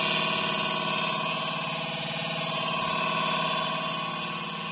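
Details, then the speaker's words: Double-door refrigerator running: fast, steady buzzing clatter about four times a second from ice buildup inside rattling against the internals. "अगर दोस्तों मैं आज जो print से आवाज आती है बहुत सारा खटकड की तो दोस्तों उसी प्रॉब्लम को बताने वाला हूं"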